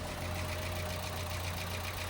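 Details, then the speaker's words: Chevrolet Trax, long-stored non-starter, idle shortly after first start following cylinder head work; steady even low hum, now quiet, no knock or tick, stale-fuel exhaust smell noted. "Tahimik na yung andar niya. Tahimik na. Tahimik na."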